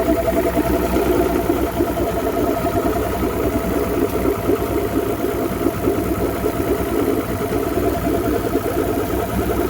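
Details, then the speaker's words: 2009 Mercury Optimax 250 Pro XS DFI outboard after new factory-tuned fuel rail replacing torn fuel and air regulators: steady even idle around 570 rpm, no clunk or misfire; temperature rising to about 143, cause unknown. "But it's running. No more clunking."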